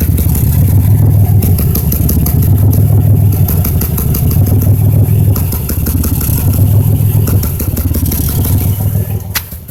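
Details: 2005 Impala 3800 V6 with a loud, uneven, stumbling beat at about three pulses a second. It began as a rhythm without a check engine light, then set P0305; the #5 plug, wire and injector were replaced with no fix. Misfire, cause unknown.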